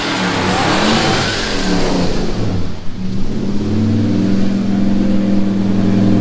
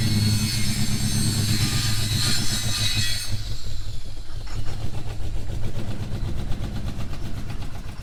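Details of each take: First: Ford 302 V8 after a very rough tune, idling better; owner suspects the distributor cap no longer walks, so the earlier backfiring has stopped. The revs blip, then settle into a steady, even burble without pops: normal idle. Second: V8 reversing up a driveway hill; the gearbox is fine. A deep rumble turns lumpy and labouring as it pulls uphill. The engine is struggling under load, which the owner attributes to the motor needing a better tune (plugs, timing).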